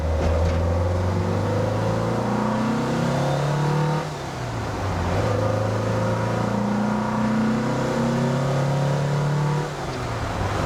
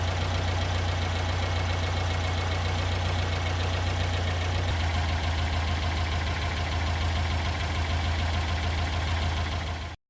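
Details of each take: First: 1974 Porsche 912 engine, about 50 miles after break-in, warmed up, with 115 jets: two clean rev-ups from idle that drop back without stumble. At 1500 rpm it pulls cleanly, with the idle-to-main circuit transition smoothed out; still rich. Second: 1974 Porsche 912 engine with freshly broken-in cam and rings, during tune-up with off-idle stumble: steady idle sags to a lower, slightly rougher beat as carburettor mixture is leaned, then cuts off; idle speed drop from lean mixture.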